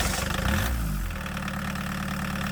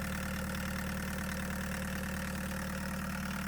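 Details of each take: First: 1989 Chevy S10 pickup with a swapped 1.6L VW diesel, starting after the glow plugs were heated and the fuel-line air was purged with a power drill: it catches within a second and settles into an even, steady idle. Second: 1989 Chevy S10 pickup swapped to a 1.6L VW diesel, idling steadily after fuel lines were purged of air; light regular metallic rattle about twice a second from a loose bracket near the pump, not causing the leak.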